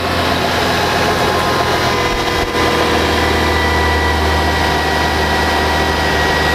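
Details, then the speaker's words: 2012 Subaru Outback 3.6R H6 at 157K miles: smooth, even idle with a steady low hum and no knocks, ticks or squeal. Normal, healthy idle. "so you can hear I mean the car sounds good"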